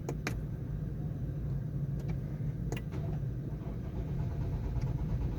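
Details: 2019 Ford Ranger 2.0, engine won't start: steady, even cranking hum that never catches or fires. Codes set for camshaft position sensor A circuit (P0343).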